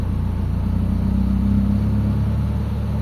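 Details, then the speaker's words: Mitsubishi Lancer GLXi 4G92, manual, which drops idle and stalls in traffic with the AC on: the engine hum rises a little then settles, and the idle only sometimes lifts under AC and steering load. The idle-up servo is working erratically. "Pero kanina mga bossing bago ko ah i-video 'to, tinesting ko ayaw niyang tumaas. So ngayon ayan tumataas siya. Ayan oh nagloluko siya mga bossing oh."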